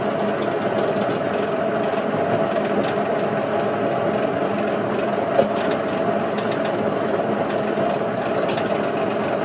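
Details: Indesit IWC71453 UKN 7 kg washer, test spin after a split belt was replaced: loud, steady rumbling roar with no letup and the drum moving violently. Worst drum bearing failure the owner has seen; the bearings are completely worn out.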